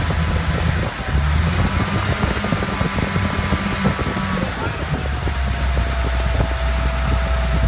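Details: 1941 Dodge WC12 truck idling after a charge light was wired to its GM 3-wire alternator: low steady idle with a fan whir on top, no knocks or stumbles; the old engine ticks over normally.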